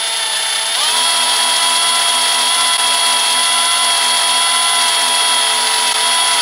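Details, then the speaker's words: Combi drill with bit pressed by a spreader clamp, drilling slowly through a steel window lintel: steady high motor whine at constant pitch holding evenly under load; cutting steel smoothly, normal. "so now we can go ahead and depress the trigger on the drill and then let that pressure a nice slow pace cut through the steel lintel"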